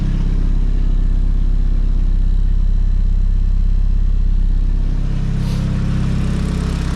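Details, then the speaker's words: Nissan S15 SR20 with T28 Garrett turbo after turbo gasket replacement following a track day: even, deep idle with a regular low pulse, no exhaust leak puffing or ticking, quiet. Normal idle. "No more exhaust leak. Sound normal again, chill, quiet."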